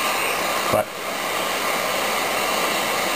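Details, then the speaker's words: Zenith Trans-Oceanic Royal 3000-1, a solid-state portable from about 1965: a flat steady hiss with one brief click and no station on AM, the same on all shortwave bands. Receives nothing. "nothing not a thing it's like there's no tun there um the same with all of the other shortwave bands"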